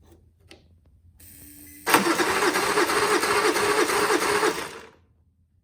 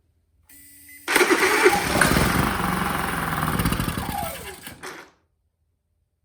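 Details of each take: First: Auction-bought Honda inverter generator on a jump pack: buzz, then about three seconds of rhythmic cranking that never catches, coughing once; pull start also fails. Cause not determined. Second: Honda EU30is inverter generator bought untested, after new spark plug and easy-start spray: engine catches with a rising buzz, runs a few seconds then dies; fires on fresh spark, no panel lights come on.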